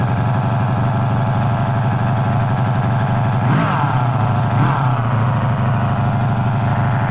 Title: 1984 Magna V30 buzzing noise from clutch/crankcase